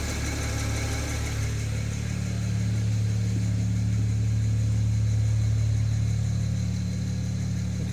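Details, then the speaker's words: BMW N54 petrol engine idling steadily with a light, regular tick about three a second over the low hum; owner unsure of the cause. "как слышно вот это тиканье? Что это вот такое вот может быть, а? От чего?"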